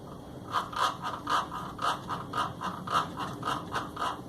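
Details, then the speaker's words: Washing machine agitating after a new mechanism kit was fitted gives rhythmic scraping about twice a second; clutch-dog teeth of mismatched height and thickness are rubbing. "Você montou e ficou raspando certo montou o mecânismo ficou raspando"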